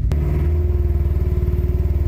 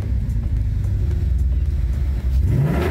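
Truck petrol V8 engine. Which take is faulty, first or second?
first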